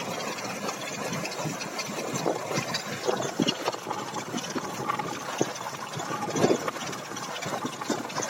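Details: Chevrolet Caprice with GM V6: uneven, lumpy idle with irregular stumbles and puffs, left cylinder head not working, running on one bank; misfire, one cylinder bank dead.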